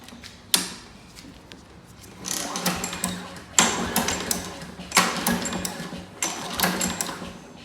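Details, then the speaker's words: Craftsman 650 series 22-inch lawn mower, primed three or four times and with stale gas replaced and new oil: repeated rattling pull-cord bursts, each dying with no catch; cranks but won't start, spark plug to be checked next. "and it is not so we might have to uh check the spark plug first"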